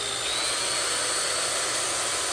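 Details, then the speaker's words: Restored 1960s Shop-Craft Model 9742 two-speed electric drill test-run after rebuild: smooth constant high motor whine, no rattle, surging or grinding; sparks expected, doesn't shake, still tight; normal running. "Yeah, let it run for another couple seconds. It doesn't even shake. It's actually in good shape. It's still tight."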